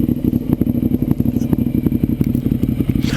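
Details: 2009 Ducati 848 after fuel pump hose repair, idling while the pump flange is checked for leaks: lumpy, even idle at about four beats a second with dry clutch clatter, no misses or hesitation; healthy, no leaks.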